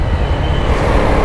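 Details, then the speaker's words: KTM Duke 250 riding after a chain noise was fixed by changing the chainset: steady low engine drone with no chain slap, rattle or grinding; now pulls solidly and all the noise is gone. "अब भाग रही है solid. सारी आवाज खत्म।"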